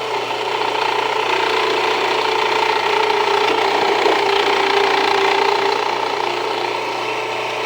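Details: Jiffy Precision Mill, a simple US-made electric steel burr grain grinder, grinding grain fed slower with the setting backed off slightly; steady motor hum with an even gritty grinding hiss, holding constant. Normal grinding, and the mill is only warm afterward.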